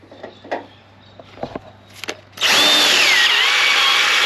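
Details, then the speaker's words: Free 327 Chevy V8, priming oil system with a drill on a cold morning (about -3°). Loud high whir with pitch wobble as the drill strains and twists. Lifters suspected of restricting oil flow; they are to be removed and gallery depth checked. "That's just And that's twisted like all that's it. That's trying to twist everything. She's now doing funky [ __ ]"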